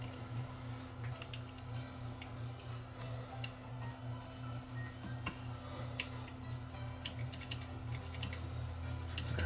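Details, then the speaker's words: Mid-1970s Grundig TK747 reel-to-reel that ran slow, after motor wiring corrected and hub lubricated: quiet steady motor hum with only light scattered ticks, no grinding or wobble; drive sounds healthy at start-up. "got that back in place let's see if it turns on ah much better sounds much better to start"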